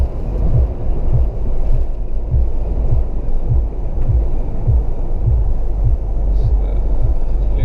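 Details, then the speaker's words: Mahindra Thar petrol automatic cruising at 100 km/h after the service center tightened some nuts to fix a cabin whistle. Steady low road and engine rumble with no whistle or thin tone on top. Normal cabin noise, whistle fixed. "so now we are at hundred and this is i can very well say that i am not able to hear that whistling sound now"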